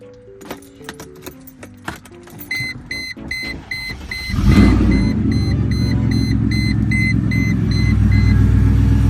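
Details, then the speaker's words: 200k-mile Mercedes W210 E55 AMG driving after replacing a whining idler pulley: a few chime beeps, then smooth even engine drone with no whine from the belt area; the idler pulley was the cause, now fixed. "I'm on the way to Austin, and I'm happy to report it sounds like I think it fixed it. So it was just that idler pulley all along."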